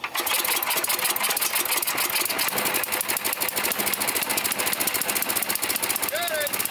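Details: 9 hp Tecumseh snowblower engine with adjustable HIPA replacement carburetor, just started on prime and full choke, low fuel: fast, busy single-cylinder ticking, idling too high before carb tuning; needs warming up and adjustment.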